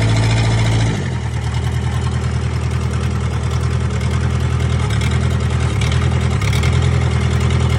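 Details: 1998 Gehl 4625 skid steer, 4-cylinder diesel with self-rebuilt injection pump, new injectors, filters and fuel tank, glow plugs heated: catches after cranking into steady even low chug with regular firing; runs clean.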